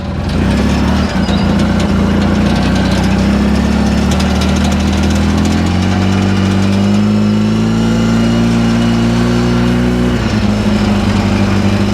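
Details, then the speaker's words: 2010 Polaris Ranger RZR 800 S after engine rebuild, first test drive in low range after warm-up: steady, even engine note rising smoothly as it pulls away, no knocks or misses; everything working as it should. "Well, seems like everything's working like it should. Just gonna cruise around nice and slow."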